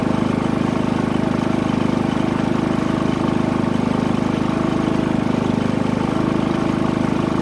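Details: Harbor Freight Predator 3500 W generator, eco throttle off, after oil change and NGK plug: smooth, steady drone powering RV converter with no surging, misses or knocks. Normal running under light load.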